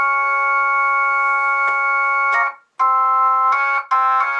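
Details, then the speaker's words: Jensen V21 Leslie upper horn driver with a Leslie 122 amplifier and 1963 Hammond B3 organ, after resetting the diaphragm: chords ring clean and steady with no rattle or buzz; normal operation. "let's try it again that's clean"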